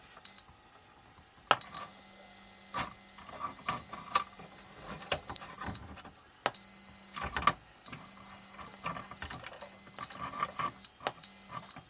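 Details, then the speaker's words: 1984 Sanyo MW1F boombox playing with an intermittent channel: sound cuts in and out with sharp clicks from one speaker. Cause appears to be a break in the purple common speaker wire. "Hear that one speaker clicking. So it's actually the wiring."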